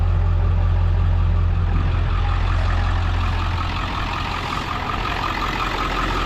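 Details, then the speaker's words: Ford F-550 4x4, 7.3 diesel, 6-speed manual, idling during blowby check with oil cap off: deep, even diesel rumble, no rattle or misses, slight steam from fill, nothing from exhaust; healthy 7.3 idling normally. "solid it sounds like a healthy 73"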